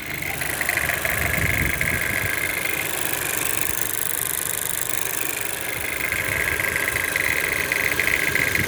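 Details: Toyota C-HR 1.2 turbo at idle: fine, fairly even fast metallic rattle over steady idle from the engine; cause suspected, not confirmed.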